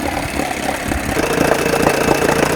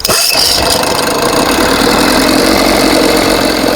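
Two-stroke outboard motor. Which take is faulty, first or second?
second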